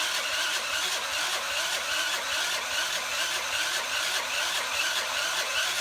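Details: $30 Tao Tao 50 moped, battery good, spark plug believed good: starter whirring with even pulse about twice a second, engine never catches; cranks, won't fire.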